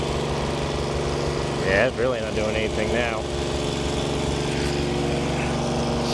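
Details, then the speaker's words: Ford 8N tractor with Funk flathead inline-six conversion, started on ether: an uneven, stumbling low chuff that picks up briefly then sags back. Engine will not keep running; stuck valves suspected. "I think we have a stuck valve guys this is about as much as this thing runs"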